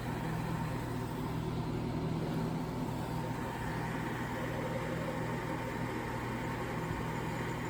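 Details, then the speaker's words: 1960s Rootes Tempair R12 portable air conditioner running, drawing 3.24 amps, head pressure nearly built, cooling with good heat rejection off the back: soft steady hum and even fan rush, no rattles or surges; quiet, normal running. "That's really not that loud. Um in fact, it has a quite nice And definitely getting good heat rejection off the back."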